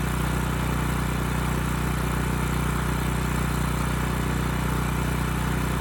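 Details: Ridgid generator with Yamaha MZ360 engine, about 10 years old, unused 4 years: steady even drone at constant speed; ran well after choke start; adjustment screw nearly out, suspected vacuum leak; throttle plate still binds; normal running.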